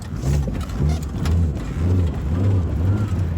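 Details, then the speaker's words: 1991 Mazda 626 with broken ignition key: fine in reverse, but in drive the low engine note surges and sags unevenly nearly twice a second, bucking and near stalling; owner suspects ignition or fuel/air problem. "but the second we put in the drive so you're gonna it's it's my it's probably gonna stall oh there you go"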